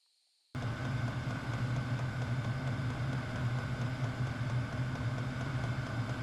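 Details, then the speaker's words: Hcalory 8 kW diesel parking heater warming a workshop, camera close to the heater. Fan starts abruptly, then holds a steady low hum and airy rush without rattles. It reached 74.8° six minutes after starting; normal operation. "so with my camera being so close to the heater, my audio commentary was drowned out by the noise from the fan. But essentially it was just a test on how quickly the heater could get up to temperature."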